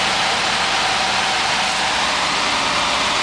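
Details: 350 K5 Blazer gas engine cold-started at about +1 to +2 °C after six months of repairs: steady, even idle with no knocks, misses or surges under a loud hiss; sounds healthy despite a service-engine-soon light.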